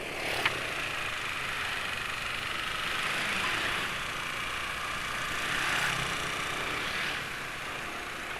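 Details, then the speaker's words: Yamaha NMAX scooter idling: coarse sandpaper-like rasp over the idle, no clear knocks; owner suspects friction between piston and cylinder wall or piston rings, unconfirmed. "jadi penulis tahu suaranya mesin penulis dirusak itu karena ada suara kayak amplas gitu ya Hai suara gesekan antara piston dengan dinding silinder atau ring Piston"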